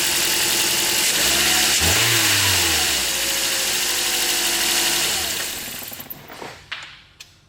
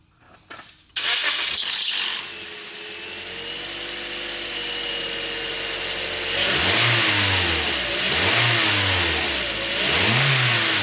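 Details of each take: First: 2009 Toyota Corolla LE, 2ZR-FE four-cylinder, 106,000 miles, after servicing the belt tensioner without replacing parts: engine starts and settles with no shrill chirp or squeal from the belt; the start-up squeal is gone. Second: 2009 Toyota Corolla LE with 2ZR-FE 4-cylinder, 106,000 miles. A loud serpentine belt squeal at startup goes away within a second, then a clean idle and revs; the alternator is new but the old Gates belt shows wear.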